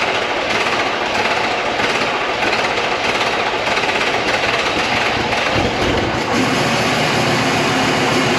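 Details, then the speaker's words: VW Touareg V10 TDI twin-turbo diesel, just reinstalled, tuned ECUs, deleted, open downpipes with no exhaust: loud raw rumble at idle, steady, no misses, knocks or hiss; sounds about the same as before, idling cleanly. "Why isn't it loud? Sounds the same as it did before. with no exhaust, don't even need the rest of the exhaust."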